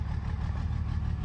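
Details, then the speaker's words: VP44 Cummins diesel after valve spring, pushrod and injector work, started with starting fluid: deep, even idle with regular firing and no skips, running much better. Separately, fuel was mixing into the oil and oil was burning past the number five intake valves. "that sounds much better I forgot where we left off so it started it runs way better"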